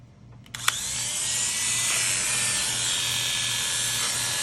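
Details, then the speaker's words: Cheap Chinese-made electric hair clipper, just sharpened and then adjusted after sounding terrible: it switches on and settles into a smooth, steady high buzz with no rattle. Normal running, sounds much better. "sounds much better these things still wear out fairly quickly and they do cut really well so they're ready to go back to the CLI"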